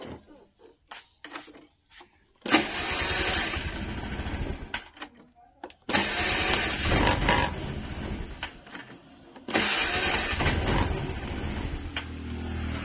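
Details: Honda Vario CBS carburettor scooter that would only click on the starter despite a normal battery and dynamo; weak CDI blamed, starter relay wiring jumpered: short starter whirs catch into lively revs each time; starts cleanly.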